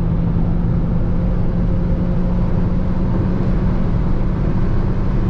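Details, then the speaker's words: Jeep Renegade T270 cabin at about 180 km/h: constant heavy roar of rushing air and road rumble, no engine note standing out; excessive wind noise at high speed, cause unknown. "180. O barulho é bem alto."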